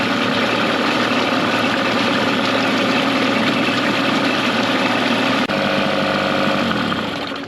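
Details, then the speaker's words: Mercury 9.9 outboard, upgraded carb and spark plugs to 15 hp, after years of sitting, new hoses, plugs and gear lube, run in a test tank over 10 minutes: steady even idle, no misses or stalling. "okay guys so the motor was running over 10 minutes and didn't stall out or anything"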